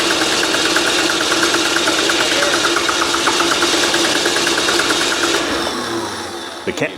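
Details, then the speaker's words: Old 12-valve Cummins diesel, stored almost a decade, starting spray nearly used up: even cranking about three beats a second for six seconds, never fires; still not returning fuel, system may be dry, electric lift pump planned. Crank no start. "the can of consent is just about out still not returning fuel so no that means it hasn't got any there yet system might be black"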